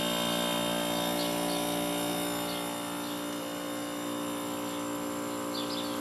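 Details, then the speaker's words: Vintage Kenmore dehumidifier with a Bristol compressor, found at the curb: after a click the compressor hums steadily with no fan whoosh and no airflow because the fan motor is seized; it later proved low on refrigerant too. "fan might be seized because I don't hear that [Applause] running okay so the compressor is working fine but I don't feel any air being pulled through it I think the fan motor is probably seized"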